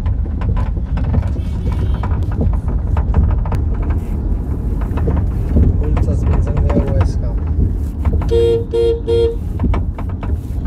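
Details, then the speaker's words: Honda CR-V driven over uneven road: loud, irregular knocks and clunks over heavy road rumble from worn front suspension. "तो बहुत ही ज्यादा आवाज आ रहा है इस कार का आपने सुना भी है तो यह थोड़ा भी खराब रस्ता आ रहा है तो उसमें इतनी खतरनाक आवाज आ रही है"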